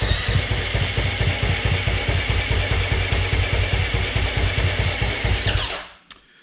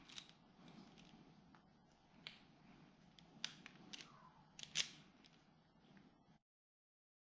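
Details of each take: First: Husqvarna FS450 that died suddenly on the track, fuel and electrics checked; starter cranks in even thumps about two and a half a second, almost catching but never firing; spark present, low compression from leaking exhaust valves. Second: Husqvarna FS450 that died on the track, fuel injector bench-tested with an EFI tester: quick sharp ticks in runs as each voltage pulse fires it; injector cycling normally, fully functional.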